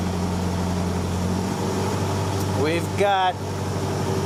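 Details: 1948 Willys CJ-2A idling after the undersized, slipping 9/16in belt (charging near 12 V) was replaced with a true 5/8in D&D BX40 belt: steady, even low hum with no squeal or slipping chirp; charging reads 14 V.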